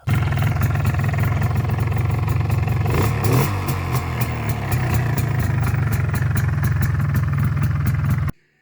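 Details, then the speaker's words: MZ ETZ 250 two-stroke at idle: deep idle with a fast, continuous metallic chatter on top from slack in the clutch hub and primary drive, the rattle commonly called "storks" that appears after clutch removal. "gdy mamy zdejmowanie sprzęgła i wymianę napędu wstępnego to są to są te dźwięki które później słychać I potocznie nazywa się je bociany"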